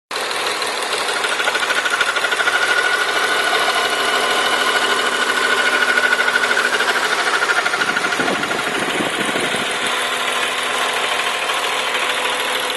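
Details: BMW M3 running engine: fast rattling tick around three per second with a thin whine on top, traced to a broken starter motor dog gear bearing; fixed.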